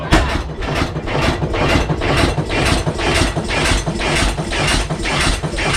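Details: 1912 12 HP Goold Shapley Muir hit-miss gas engine, first run in about six years: even chuffing about twice a second with no coasting gaps, firing every cycle. Running rich; owner suspects fuel was opened up, or it's just cold.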